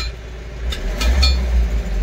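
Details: Mahindra Bolero BS6 diesel pickup with very high DPF soot mass, a flashing DPF warning and no speed above 60 km/h, regenerated about 18–20 days ago; after silencer cleaning it gives a deep rumble, revving smoothly and settling without knock or rattle.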